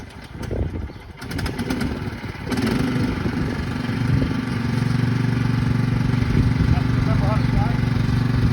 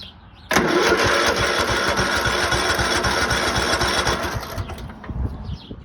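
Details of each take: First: Craftsman manual-drive lawn tractor, 15.5 overhead-valve engine, after sitting about 4 years in a shed and an easy fix: after a rough start the engine settles into a smooth, even drone with steady note under mowing load; runs healthy. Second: Craftsman lawn tractor, 15.5 OHV single-cylinder, sat 3–4 years, battery charged and fresh gasoline added, choke at the top: sluggish, slow cranking, then it catches and runs rough; owner says it needs a new battery.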